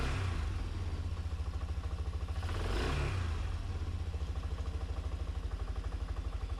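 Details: Wilderness Trail 250 four-wheeler after start on choke, WD40 in the cylinder: steady quick single-cylinder beat around 200 pulses a minute, clean rev swell mid-clip, then even running. Normal running and revving.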